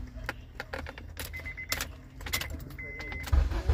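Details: 2005 Honda Accord after replacing the dried-out ignition switch contact that caused the no-start: low, even idle hum holds steady under clicks and handling noise; engine runs smoothly, normal idle.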